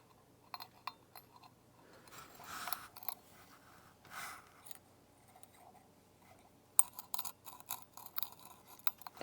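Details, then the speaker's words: Defective incandescent/halogen bulb, installed September 2025, opened after it stopped staying lit: one lead poorly welded to the halogen capsule was loose and arcing, giving faint irregular ticking, crackling and vibration; bulb repairable. "I think that this was loose on there, and it's very evident that it has definitely been arcing. In fact, that's the sound."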